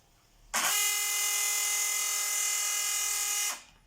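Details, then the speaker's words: Polaris robot vacuum main brush drive powered from 5 V bench supply, disassembled: steady high-pitched motor whine with brush not turning; gear in brush gearbox crackling and skipping, motor not secured and has play. "Но вот здесь шестеренка трещит почему-то"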